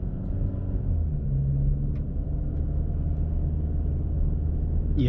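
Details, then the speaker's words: 2012+ Chevy Sonic/Cruze 1.4L, cabin, decelerating, after passenger-side motor mount replacement: low, even engine rumble with no shudder or knocking. Before the repair the car shook heavily with loud rattling; now no vibration and running normally. "no that was that was the whole problem I mean these cars the motors are still kind of loud but before when I was decelerating like this I mean the whole car was shaking and now it's pretty quiet"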